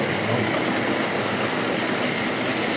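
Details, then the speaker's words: Hornby Triang dock shunter model locomotive, number three, double-headed with another loco hauling eight wagons: steady, even rushing run with faint wheel clatter, no surging or slipping; running normally. "yeah number three no trouble for those whatsoever we'll leave her running there yeah come on round once more yeah yeah you can hear him pouring along anyway"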